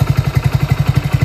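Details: Small single-cylinder motorcycle idling with a steady, even low thump of about eleven beats a second, running with the regulator-rectifier removed and two wires grounded together; it runs only while battery charge lasts. A normal idle.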